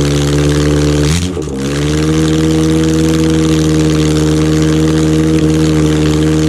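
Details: Rebuilt Ford OHC Pinto 202-block engine (205 rods, thin-top-ring pistons) on chokeless test Weber 32/36 DGAV carb; steady even drone with one quick throttle blip that dips and recovers cleanly; runs smooth and healthy.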